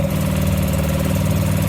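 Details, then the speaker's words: Sailboat dinghy outboard motor at full throttle in gear, carburetor already replaced: steady low drone with revs hanging well below normal, not enough power. "For reference, this is what it's supposed to sound like at full throttle. This is what it sounds like at full throttle in gear. It's not enough."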